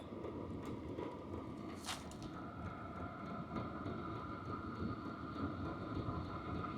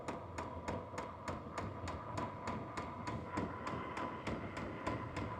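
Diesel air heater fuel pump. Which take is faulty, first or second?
second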